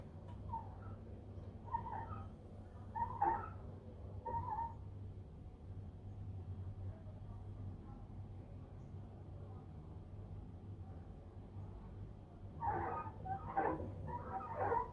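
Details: LG WD-1480TDT 8kg inverter direct-drive front-load washer, six years in use, new mother board and inlet valves, no error code: low spin hum with short, high, whiny squeaks in irregular bursts towards end of spin cycle; owner suspects mechanical problem.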